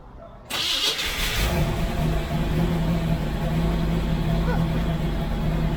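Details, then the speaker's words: Small-block Chevy V8 in a CJ, just converted from propane to a Holley Sniper EFI with HEI ignition and the fuel pump primed. First start: short crank, catches quickly and settles into a steady, even idle. The EFI is still self-learning. "shot takes a little while for it to learn itself and do all the things that it's supposed to do so uh we're gonna let it idle for a little bit"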